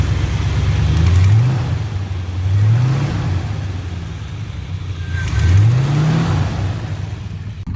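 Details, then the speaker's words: 1980 Chevrolet C30 dually, cold start after new fuel pump and fuel filter, revving: deep loud open rumble swelling with each rev; mufflers rusted and blown out, effectively straight-piped. "right, so that's straight piped right now. The mufflers are rusted and blown out."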